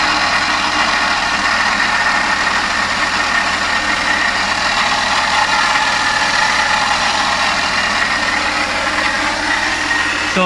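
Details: Suzuki Every Wagon DA64W, K6A engine, idling steadily: harsh loud hiss and rattle riding high over a weak low hum while diagnosing loud engine noise; cause unclear.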